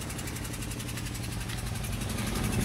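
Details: Citroën C2 1.1 petrol with vibration, loud noise and lack of power: rough uneven idle with a sharp rapid puffing tick, a blown-out spark plug leaking compression and misfiring; fuel visible inside on teardown.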